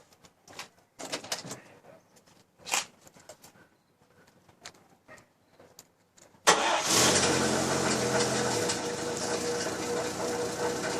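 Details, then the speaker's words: Chevy Styleline 216, engine running: a busy metallic rattle from the fan wobbling on a worn water pump bushing/bearing at the fan pulley. The pump still cools fine, but the fan may separate; the water pump is being replaced. "not sure if you can hear it but there's there's that metallic rattling going on in there and that it's certainly the fan just wobbling around"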